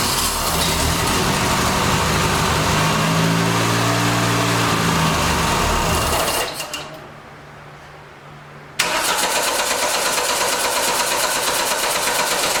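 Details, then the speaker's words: 1989 Dodge Daytona ES, with the injector back in: steady even cranking for several seconds without catching, then stops; gas still pouring in, owner suspects a bad injector and plans buying new; flooded no-start. "i think we might have an injector problem because uh it is really pouring the gas over in there even with the injector in there now"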